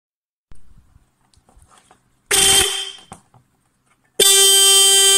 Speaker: muy buenas a todos acabamos de oír el claxon el no sé cómo se llama la bocina